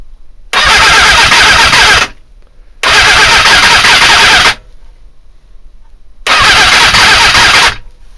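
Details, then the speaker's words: Suzuki GSX-R400 cranks on the starter in three roughly two-second bursts but never fires; ignition timing checked at about five to six degrees before top dead centre, owner suspects the CDI box or trigger timing. "it's trying but it's not at all"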